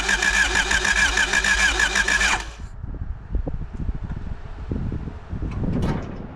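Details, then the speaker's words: 1985 Honda Civic (3rd gen) parked 16 years, first crank after fitting new battery terminals, low on oil: the starter spins the engine with quick, even pulses for about two seconds but it never fires; cranks, no start. "Amazing, we got it to crank."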